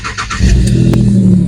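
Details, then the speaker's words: Jaguar S-Type 3.0 V6 after a smoke test and inlet manifold flap motor repair, previously showing lean bank 1/2 and catalyst efficiency codes with power cut under hard acceleration; brief cranking whirr, then a clean catch into a smooth, even low idle. "start it up okay it's running now I'm going to just do a Diagnostics on it to get rid of the engine management lights and everything"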